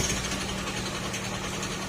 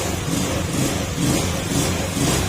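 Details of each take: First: Old Honda Scoopy carb-type scooter idling with a rapid sewing-machine-like clatter from the engine; connecting rod or crankshaft assembly damage, needing an engine overhaul. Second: Honda Scoopy scooter after crankshaft (connecting rod/crankshaft assembly) replacement fixed a noisy engine: small single revving in gentle waves with a steady even hum, very quiet, no rattle or knock; healthy engine revving after repair.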